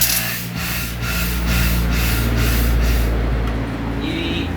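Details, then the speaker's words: Karcher pressure washer, trigger held: loud motor drone surging and dropping in quick pulses a few times a second. Pressure won't hold steady and the motor cycles on and off, which is described as a common, simple fault. "Lo que pasa con esta Karcher es que a la hora de que la estamos usando, apretar el gatillo, tiene intermitencia, no se mantiene fija la presión, enciende y apaga prácticamente el motor."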